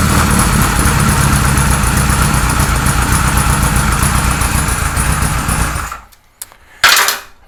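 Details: 1978 Kawasaki Z1-R with replacement carbs fitted (ran well on the other carbs), engine warming: lumpy, uneven idle with a loose beat, dying after six seconds; no usable carb vacuum, rough idle and stalling, likely over-fuelling.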